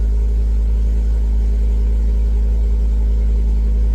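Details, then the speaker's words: Ford Focus ST five-cylinder being diagnosed for a misfire; at startup before coils are unplugged it has a deep, even idle with no stumbles. Owner wonders if water in a plug well has dried out. "That don't sound bad. That don't sound like she's misfiring. That sounds like she's meant to."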